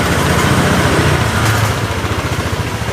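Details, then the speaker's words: Honda Scoopy scooter on snap throttle: stuttering, uneven pulse that sags and nearly dies instead of picking up, though it revs fine when opened gradually; suspected faulty throttle position sensor, moldy spark plug cap or shorted plug. "misalnya untuk dihentak dia motornya langsung mati berebek kayak gitu ya berebek nyendat pokoknya"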